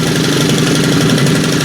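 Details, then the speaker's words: STIHL FS90R/FS111R two-stroke string trimmer, run on premix, on fast idle set by its automatic choke feature (switched on, then just pulled): a busy, buzzy note held steady with no stumbling or misfires, so the trimmer runs normally. "It has kind of an automatic choke thing. You do have to still turn it on, but that does your choke and your fast idle, which is kind of cool."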